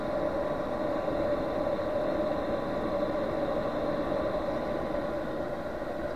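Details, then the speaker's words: Chinese 5 kW portable diesel heater on bench test, battery 12.18 V, after 12 minutes running: steady even fan hum with constant mid-pitched tone, no clicks or roughness; normal, long cool-down run after fuel stops. "that should shut up any minute now I see takes a long long time to shut down"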